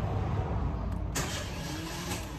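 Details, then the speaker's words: Citroën C3 starter motor whirs and spins but never properly drags the engine over, fading out without catching; the starter slips when cranking. "ele tá se você da partida ele está patinando Então vou mostrar para vocês o barulho que que ele tá fazendo"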